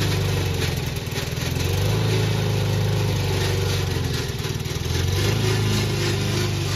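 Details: Old Toro Recycler lawn mower running under load with a rough, uneven rattle of about four beats a second from the drive system; later cured with WD-40.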